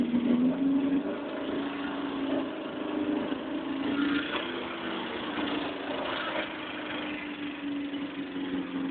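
Steady, even idle with a smooth mid-pitched hum and no knocks or misses; this engine sounds healthy.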